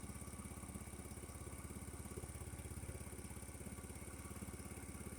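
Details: 50cc Chinese scooter, 13 miles, after draining water-contaminated fuel from tank and carb and fitting a new spark plug, warming up, charging about 13.4–13.9 V: quick even single-cylinder putter without misses; normal idle.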